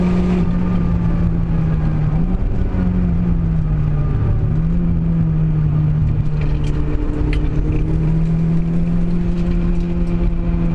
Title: Clio Misfire